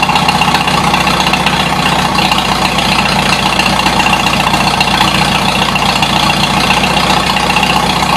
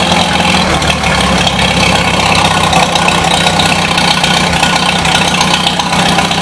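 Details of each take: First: 1953 Super H series 2 tractor in cold weather, throttle bumped up a couple of notches at a time while trying to make it run better: at third and fourth notch a steady, even beat with no knocks or misses, pulling air with smoke; normal running at raised throttle. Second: 1953 Super H still warming up and burning paint off the muffler: a steady, slightly ragged idle with a hollow, uneven note and no knocks; the owner suspects it may be running lean but is unsure.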